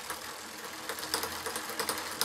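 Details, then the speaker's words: Cmacewheel Y20 folding electric fat bike, derailleur limit screw being backed out while the pedals turn: light rapid clac-clac as the chain starts climbing to the next cog; the screw is too loose and gets tightened until the clacking stops. "Voilà, et quand on entend que ça fait clac clac clac clac clac, c'est que c'est"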